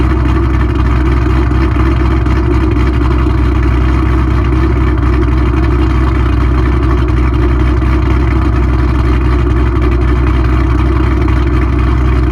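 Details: Mustang 3-valve V8 just after cam install on both sides: deep, steady rumble with a slightly lumpy pulse, idle a touch higher than it should be; considered how it will sound.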